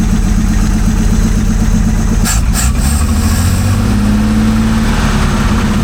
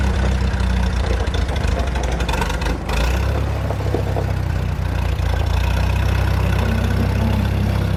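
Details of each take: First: 1947 Chrysler old six, first start after decades sitting: uneven, lumpy idle with occasional skipped pulse, smoothing as revs rise. Misfire at idle; owner suspects one cylinder with very low compression. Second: 1947 Chrysler straight engine revived after sitting, clutch possibly seized: catches and settles into a steady, low, even idle with no knocks or misses, running well.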